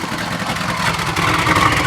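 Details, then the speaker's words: Box Chevy Caprice Aerocoupe lowrider V8 at idle, recorded at the exhaust: raspy loud rumble with spitting hiss from multiple exhaust leaks, a torn-up muffler with a hole, and a broken exhaust mount. "sounds like it's got a bunch of leaks that Muffler's all torn up it's got a mean hole too"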